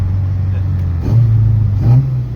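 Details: Mk2 track car with a newly fitted high-compression 2.0 16v engine on ITBs, driven gently in the wet: deep, even drone climbing with throttle, no sharp metallic rattle; owner wondered if it was pinging, but it sounds healthy.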